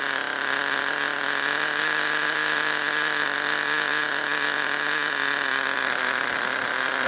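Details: Small nitro glow engine idling at first start of break-in, after priming fuel to carburetor and before high-speed needle tuning; high buzzy steady note with no surging, normal smooth idle.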